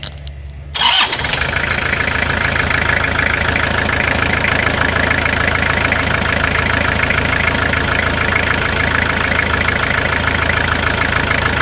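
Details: Toyota Hilux SR5 2.8 diesel, 2000/01, after a full revitalization service: cranks briefly, catches within a second, then settles into a steady, even diesel clatter with no misses or knocks; healthy start and idle.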